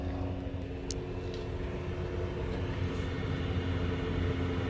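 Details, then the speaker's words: Newly installed Eberspacher diesel heater in a 2021 Mercedes Sprinter van, running: quiet, steady low hum with soft fuel-pump ticking, pumping hot air; smooth, even, normal operation. "thing is very quiet, but it's pumping, oh yeah, hot air."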